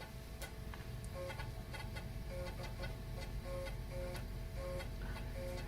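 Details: Macintosh SE/30 with recapped motherboard booting a Mac-friendly floppy to the happy Mac: irregular light ticks and short stepping chirps as the head moves over a quiet hum; normal floppy drive operation.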